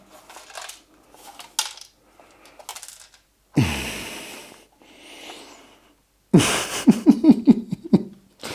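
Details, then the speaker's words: New 2.2 kW 220 V Chinese VFD inverter for a PrintNC CNC spindle, shaken in hand unopened; dry irregular clicks and rattles of a loose hard part inside, owner hopes it is only a broken-off plastic piece. "Hier klappert schon was drinne. Ach, hör doch auf. Hier klappert schon was drinne."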